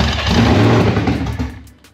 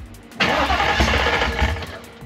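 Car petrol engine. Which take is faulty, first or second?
first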